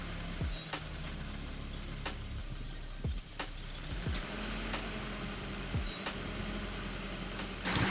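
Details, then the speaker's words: Steady airy hiss over a smooth idle on a 1981 Datsun 280ZX, unchanged with speed, right after new fuel injectors and a service; source not yet found, suspected leak in the system, not confirmed. "all right guys so far so good I'm still hearing that hissy noise"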